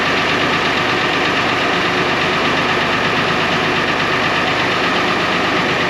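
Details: 1970 International Harvester 1456 Gold Demo barn-find diesel tractor, first start in 14 years: steady diesel clatter at an even idle with no misses or knocks; the oil pressure light goes off, so it is running smoothly and normally.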